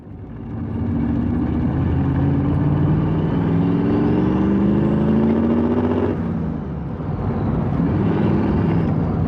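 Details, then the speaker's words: Holley carburetor modified for blow-through, jetted 70s and 79s: engine pulls hard twice with a choppy, stumbling exhaust note, rich misfire under load, AFR dropping to about 10 or richer; needs jetting down. "70s and 79 s you can still hear it rich misfiring and in this clip right here you can see the AFR I'll go down to about 10 which it's probably even richer than that because it's rich misfiring"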